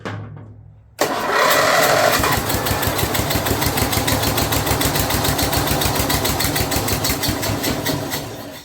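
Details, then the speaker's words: Snapper rear-engine rider, Briggs 12 HP I/C, abandoned for years, brand-new carburetor: fires after a pause then runs rough and lumpy about three beats a second, stumbling; pushing a lot of fuel out, choke open, owner wonders why carburetor leaks. "Just pushing a lot of fuel out there. I wonder why."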